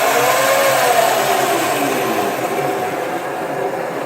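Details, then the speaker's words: Razor E300S electric scooter after battery repair (original lead-acid batteries died from not being charged), powered on and tilted with wheel free-spinning: even electric hub-motor whir easing off as throttle drops, no grinding or clicking; normal, fixed. "Now I'm gonna power both of them on and prove to you that they're both fixed."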